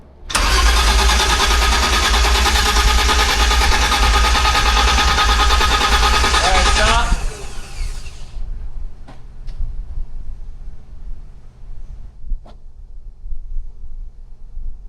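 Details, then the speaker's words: V12-swapped BMW E30 first startup after O2 sensor and X-pipe install: steady, even starter cranking at about three beats a second that never catches, then stops; cranks but won't start, no fuel reaching engine (blown fuse suspected). "We have no fuel."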